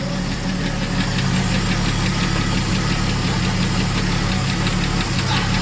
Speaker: Alright, guys. I got it fired up. We got some old crappy gas in it. Sounds like a valve train isn't too happy.